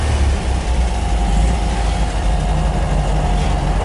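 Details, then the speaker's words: 1967 MGB GT with an engine rebuilt in 2020, electric fuel pump and 12-volt conversion: a freshly started cold engine gives a steady, even low rumble with no knocks or misses. It idles smoothly and is said to run better warm. "starts right up like all english cars it runs better when it's warmed up"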